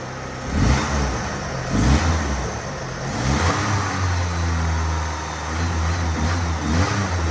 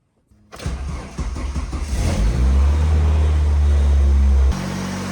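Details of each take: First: 1977 Ford Pinto Cruising Wagon with 2.3 swapped from a 93 Mustang; with idle air control valve working, engine blips up then drops back to a steady low idle as it should; alternator not charging, low voltage. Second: 1977 Ford Pinto Cruising Wagon with 2.3 swapped from a 93 Mustang; engine catches, revs, then hangs at an elevated idle after giving gas; owner shows idle air control valve issues and had messed with the throttle stop.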